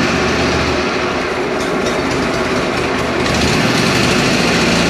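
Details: Exmark Navigator mower bought to flip, running in heavy rain: the small engine holds an even, busy idle under loud rain patter, with no misses or surging. Running normally.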